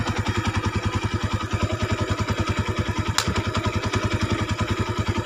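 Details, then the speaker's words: Honda Tiger 200cc after the cam chain area repair: even idle of about 200 beats a minute with no cam chain rattle. It is smooth with the clutch pulled and throttle is smoother; slight clutch-area noise remains with the clutch released. Normal idle. "kalau dipencet kopling halus banget dan digasnya juga lebih pulen enggak kayak sebelumnya"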